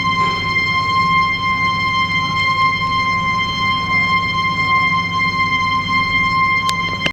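A loud, steady howling whistle near 1 kHz holds for the whole fill without wavering, a sign of abnormal flow noise at the float valve.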